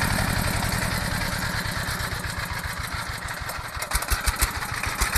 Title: Misfired Enjin pam air (engkol tertinggal)